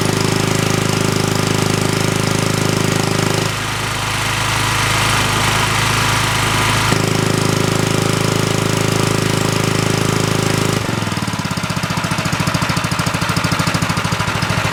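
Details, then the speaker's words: Hollingsworth air compressor's small single-cylinder engine running with only its small stock muffler under the cooling shrouds, before adding a second muffler: hard, rapid popping bark at about three pulses a second; exhaust too loud. "So, we can hear how how much that little muffler quiets. the report of the muffler inside the engine."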